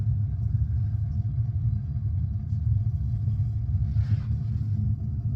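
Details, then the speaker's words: New 50-gal A.O. Smith water heater, just installed and first fired: steady low burner roar, even rumble, no rattles or pops; flame briefly changes as air purges from the line; normal burner operation, heating. "That guy is heating. Anyway, yeah, I think we're good. It is getting some air out of the line, which is why you saw the flame kind of change, but it is heating."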